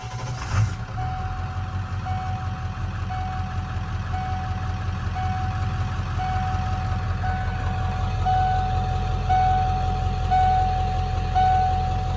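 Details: 1997 Ford F-250 OBS 4x4 with 7.3 Powerstroke diesel, 125,405 miles: brief crank, quick catch, then even diesel clatter at idle with a chime beeping in the cab; starts and idles healthy.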